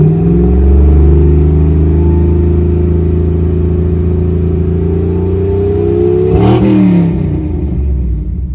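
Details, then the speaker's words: 1975 Ford F-100 V8 after replacing worn carburetor that caused misfire: revs smoothly up and settles back with no hesitation, stutter or misfire; new carburetor working well. "there was no hesitation um absolutely no stuttering uh there was no misfire or anything like that so this carburetor is working well"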